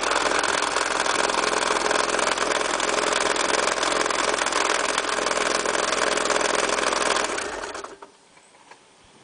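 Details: Honda H22A8 petrol engine idling: steady, rapid knock about three to four a second from the engine block, appeared suddenly after driving; cause was the failed timing belt auto tensioner, fixed by converting to the fixed H23 tensioner system.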